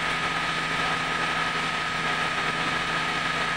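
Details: Mitsubishi Grandis, test start after replacing the torque converter, whose cracked turbine leaked automatic transmission oil: steady, even idle with a constant hum and no knocks, ticks or misses; normal idle.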